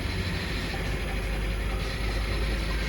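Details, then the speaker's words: BMW E60 525i 3.0 petrol, N53 engine, idling after fault codes cleared: uneven, lumpy stumbling beat with unstable idle and power loss; misfire code 29CD in cylinder 1, which moves to cylinder 2 with the swapped coil, so the coil is faulty. "so we click ok here, as you can see, the car continues to sound bad"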